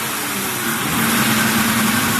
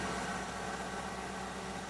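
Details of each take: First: 2003 Mercury Grand Marquis 4.6L V8 at idle: the idle air control valve draws air past itself and makes an acoustic, fluting "yodel" whistle that wavers up and down over the engine, heard from the intake pipe feeding the IAC. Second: A 2003 Mercury Grand Marquis 4.6L V8 idles steadily with an even low hum after the idle air control valve fix and a cleared code while relearning idle, with no warbling "Wookie Yodel" at idle.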